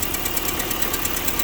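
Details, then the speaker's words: Car idling after new motor mounts: quick, even ticking over a steady idle tracking engine speed, owner suspects a right-side valve or lifter; valve train ticking. "You can hear that. It's this right side lifter, or right side injector. No, not injector. The valve."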